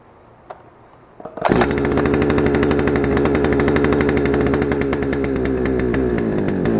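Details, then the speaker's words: Stihl FS-250R two-stroke trimmer, long stored with old gas, carb diaphragm hardened, before rebuild, cold rainy day: cranks, catches, rough uneven buzz that never climbs high, smoking a lot; running rich, poor revving. "And you could tell that it was running rich because it was smoking a lot and it wasn't revving up very high."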